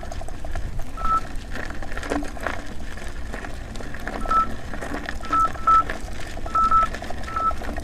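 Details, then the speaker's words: Nikola electric unicycle (84 V) climbing a first small test hill, with the alarm set to sound at 90 amps of motor current: short high beeps in irregular bursts over wind and motor hum; overcurrent warning beep. It later failed with blown MOSFETs. "every time you hear that that means there's ninety ninety amps as being pulsed through the motor and it's it's being stressed"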